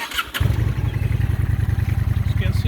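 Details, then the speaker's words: Honda Shadow Aero VT750C V-twin with stock dual pipes, ridden almost daily: brief crank, catches at once and settles into an even, deep twin-cylinder thump at idle; healthy quick start. "you can see, it fires up pretty quick. I've been driving it almost every day here, and you can see it's got a twin engine to it, and dual pipes. So these are stock. They got a good thump to it."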